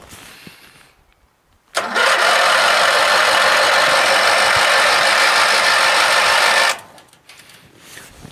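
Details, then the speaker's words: Craftsman LT1000 lawn tractor, Briggs opposed-twin 19.5 hp, sat all winter, choke on: harsh cranking that catches briefly only on starter spray into carburetor, then dies; fuel starvation from water in the tank. "know what it was is that I had actually sprayed fluid into the carburetor that's the reason why it started a little bit"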